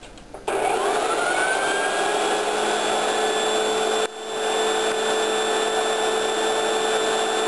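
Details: Pink Hoover shampoo-polisher motor spins up quickly to a steady smooth whine with clean high tones, no grinding or rattle; sounds like new, healthy normal running.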